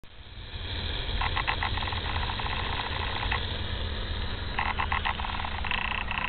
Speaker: This sound is emanating from the repaired and exposed lines under the house, possibly the cause of the leak or another leak within the line. Sound appears to be abnormal and non-typical for plumbing lines.